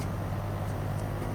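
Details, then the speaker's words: Pioneer ductless heat pump outdoor unit at first power-up: steady low droning hum with a faint buzzing rattle; compressor vibration suspected to carry through the metal mounting bracket into siding and garage drywall. "Now it's kicking on. So, there's a rattle over here."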